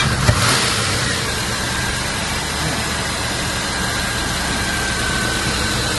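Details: 1995 Range Rover Classic, sat over 10 years, after a fix, engine at 6°C: even steady roar when revved, no misses, stumbles or knocks, holding smoothly at cold idle; revving issue appears fixed.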